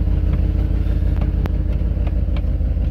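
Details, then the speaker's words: Dodge Ram with 360 cubic inch V8 at idle after installing Air Lift LoadLifter 5000 air bags inflated to 70 PSI; deep, steady burble with even pulse, no knocking or misses: normal, healthy idle. "I'm looking more down, so let's get ready to get this on the road. Oh yeah, listen to that baby purr."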